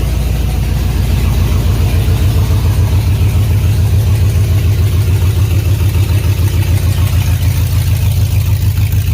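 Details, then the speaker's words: 2003 GMC Yukon Denali 6.0L LS V8, destined for a Chevy K20 swap, idling with no exhaust: loud, deep, throaty, even rumble with no misses or knocks; healthy. "I'm curious what the 6.0 sounds like with no exhaust. A lot more throatier."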